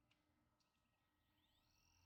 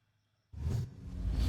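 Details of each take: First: Xbox 360 Fat (likely Zephyr board) disc drive, previously unresponsive and noisy, spins up with a rising whine into a steady high spin with light reading ticks; drive reads a game disc normally. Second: Xbox 360 fat disc drive after rails lubed with lithium grease, reads discs fine: loud rushing whirr then thin high whine as the laser runs along its rails; noisy seek, cause unclear.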